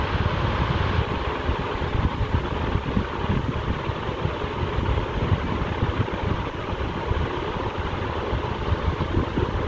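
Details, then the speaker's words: Black ceiling fan, new model, at full speed: steady rushing wash of air with a faint soft flutter from the blades; blade flutter, motor itself quiet. "it's a very quiet fan honestly and at full speed you do hear i mean if you ignore the wind noise of course you do hear a flutter from the blades right"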